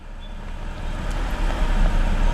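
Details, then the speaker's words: 2006 BMW 325i with an N52 inline-six: rough idle with the rpm needle swinging up and down, a low rumble that pulses and stumbles. It is a one-cylinder misfire from a weak ignition coil, with no check engine light. "the problem is because having specifically is then exchanged I don't know if you can see the rpm idle here there needle over here how it moves up and down"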